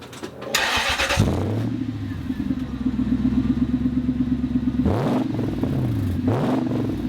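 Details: Toyota Land Cruiser 100 series LX470 UZJ100 V8 before exhaust replacement: starts and revs with a loud, raspy, puffing exhaust note rising with throttle, from a hole in the exhaust ahead of the muffler.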